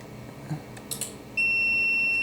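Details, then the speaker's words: APC SRT 5kVA UPS powered on 247 V input beeps a steady high-pitched continuous alarm in a quiet room. It shows fault P.16, and the log reads negative DC bus soft start error, event code 125: the negative DC bus is not forming. "इसका negative DC bus नहीं बना है। Negative DC bus soft start त्रुटि, event code 125।"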